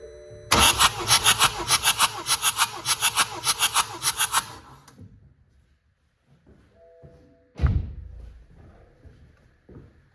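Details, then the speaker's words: BMW F20 with N47 diesel, suspected water damage: starter churns at about a hundred beats per minute for four seconds without firing; compression test shows low cylinders, hydrolock suspected; cranks but won't start. "I'm going to start uh the cranking but uh it I I don't know I don't have a good feeling about this"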